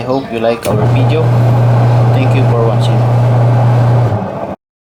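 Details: Washing machine that was noisy with a powerless impeller, run after the drive belt tension was adjusted. A steady, low, even hum from the motor and drum with no slapping, squeal or knocking; it now runs smooth.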